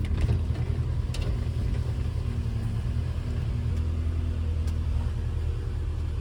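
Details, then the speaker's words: Subaru EJ boxer engine in a VW Syncro Doka conversion, just after replacing noisy hydraulic lifters and fresh oil, started cold: steady even idle with no ticking, slight remaining noise expected to vanish when warm. "lets go outside you can still hear it a little bit but thats okay because the engine is cold the remaining little noise will also disappear when engine has temperature"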